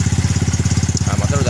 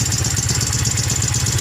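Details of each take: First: Yamaha Mio M3 scooter with 58 mm piston, modified camshaft and CVT, after camshaft, rocker arm and valve repair: even, steady putt-putt idle with throaty open exhaust and intake hiss, no rattle or knocking, now idles properly; normal idle. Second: Yamaha Mio M3 scooter after 58 mm piston, reground camshaft and CVT modifications, running without air filter and hard to start: rough idle with fast uneven chattering tick; harsh top-end noise traced to rocker, valves and camshaft.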